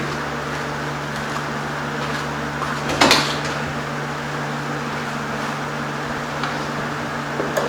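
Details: 1973 Ford Mach 1 Mustang V8, back running after months off, almost out of gas, exhaust leak repaired: steady low idle hum with no puffing or hissing, one brief clunk; exhaust now sealed and quiet.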